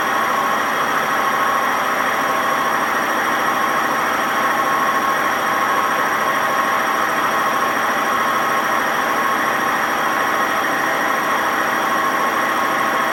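A loud, constant roar with a hard rumbling grind and ringing whine runs through the fast spin, pointing to badly worn drum bearings.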